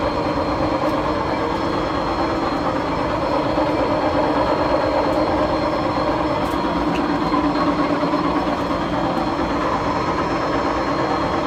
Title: Seasons nyc bad bearings close look at shaft